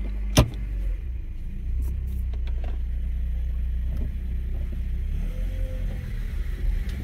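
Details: Honda after replacing a broken axle, started and put in gear: steady, even low rumble with no clunks or grinding; drivetrain healthy, transmission fine, though a bad wheel bearing was later heard on road test.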